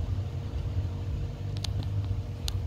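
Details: LG French-door refrigerator after freezer fan motor replacement for noise: only a soft low hum with a few faint clicks, no rattle or buzzing; freezer fan now runs quietly.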